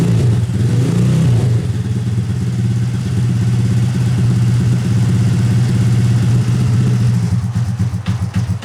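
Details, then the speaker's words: Original Honda Grom rebuilt engine after exhaust valve clearance tightened to 0.007 in to cure a tick, rough tune; revs up cleanly and settles to steady idle, valve ticking gone; runs healthy. "all right sounds like that chicken went away it's actually running really good"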